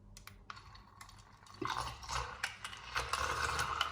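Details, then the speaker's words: Nespresso Aeroccino 3 making hot chocolate from solid chocolate callets added bit by bit: small motor hum with irregular light rattling and knocks, about three a second, as solid chocolate pieces bang against the whisk. "As you can hear, it's already banging about a little bit."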